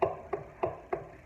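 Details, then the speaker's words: Arno fan with the motor off, its shaft rocked back and forth by hand: four crisp clicks roughly a third of a second apart. This is axial end play, suspected to be a worn or wearing front bushing. "isso parece ser bucha dianteira né que tá ou já está ruim ou está ficando ruim"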